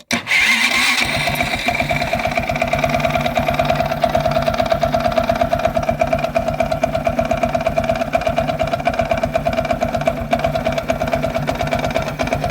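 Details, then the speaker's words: Viper Active moped after 15 km highway ride: steady idle with light uneven tapping about three per second; owner says not the chain tensioner (chain found tensioned), likens it to detonation like carb problems; now constant, formerly rare at low rpm. "Звук напоминает ээ как будто неправильный, как сказать по чуть-чуть газу, когда даёшь на холодную, например, и оно как детонация происходит или что-то такое, когда, ну, проблемы с карбюратором, можно так сказать."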